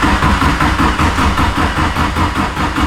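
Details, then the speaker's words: Nissan-engined Mazda Miata engine swap during first start attempts: steady cranking about 2.5 beats per second that never fires. Cam position sensor timing only guessed, fuel pressure sensor stuck at 45. Owner suspects ignition timing and plans to fix the cam angle sensor. "I heard it like pop once. Yeah, it popped once. Oh, it wants it. It wants it. It wants it bad. Yeah, okay, so it's the ignition timing."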